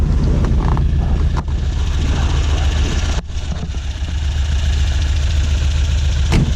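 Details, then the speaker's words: 1967 Volvo 1800S started up, idling at about 1,100 rpm while warming: steady, even low rumble with no knocks or misses, a normal healthy idle. "okay I'm gonna fire it up as well so you guys can hear it should idle ride around 1,100 rpms"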